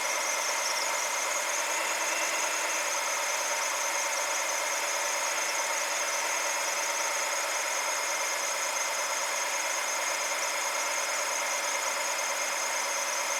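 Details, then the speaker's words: BMW N62 V8 with MAF and fuel trim codes, warm after running a while with the new sensor fitted: steady, even idle with a smooth hiss and no knocks, misses or hunting; idle tone changed, running normally. "So you can hear hopefully that engine idle tone change. So I'm finally letting it run for a decent amount of time."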